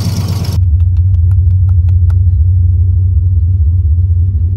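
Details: Turbo 331 small-block Ford Foxbody Mustang after starting: settles into a deep, even, low rumble with steady firing and no knocks; it idled well once started; normal idle.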